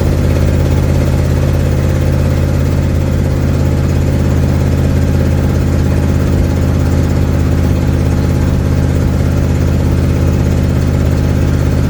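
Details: 1972 Ford Mustang driving home, phone in the dash, before repair: loud, raspy low drone under way with an uneven puffing edge over the engine note, from an exhaust leak.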